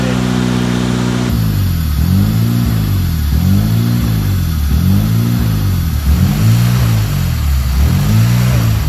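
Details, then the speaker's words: Honda EK hatchback with K-series swap (K20Z/K24) running, check engine light on, no radiator fan yet; idle rises and sags every ~1.5 s, never settling; idle controlled by idle air control valve, no set screw. Surging idle. "the process of looking for a problem with the idle on these particular ones there isn't an idle set screw so the idle is almost exclusively controlled by the idle air control"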